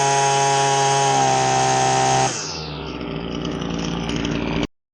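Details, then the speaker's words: Husqvarna 525LS string trimmer after carb tuning, high speed set slightly rich: a crisp high-rev scream, then a clean drop to a steady idle with no stumbling before shutoff, running properly. "Now notice how the throttle response is really nice, and when the engine settles down to idle, it's not stumbling, it's not too rich."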